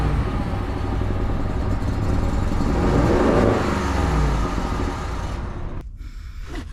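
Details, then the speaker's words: Ford F150 2.7 EcoBoost twin-turbo with check engine light and smoking exhaust, before injector replacement: lumpy, uneven running that swells and sags with stumbling pulses; leaking injectors dumping fuel, running very rich. "It is just dumping fuel. I mean, like right now. She's running richer than Forrest Gump."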